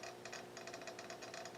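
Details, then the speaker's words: GRC-14 military receiver (2–32 MHz, CW/phone/FSK), RF gain at maximum, switching between FSK broad and phone modes: quick, uneven light relay-like clicking inside the unit over a faint hum; source unknown. "and you can hear what sounds like a relay clicking in the unit an FSK phone FSK Broad and FSK phone I'm hearing a relay clicking inside so it's kind of interesting not sure where that's coming from"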